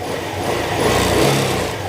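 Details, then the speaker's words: Honda Click 125 after engine overhaul, reinstalled in chassis: rev rises and falls smoothly with steady even note, no stumble or surging; cricket-like chirp gone, only slight belt sound noted. "At ito na yung tunog niya ngayon mga sir. Wala na yung tunog kuliglig. Sakto-sakto na."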